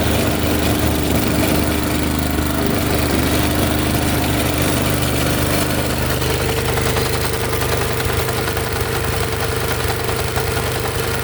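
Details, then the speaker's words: Honda snowblower with no drive complaint: engine runs steadily while drive works briefly, stops, clicks and skips; suspected broken parts in final drive gearbox, not confirmed. "did you hear the clicking it was it was uh the drive would work a little bit and then stop and then sometimes I could you could hear the clicking I hope you could hear all the clicking and it was it was jumping around a little bit"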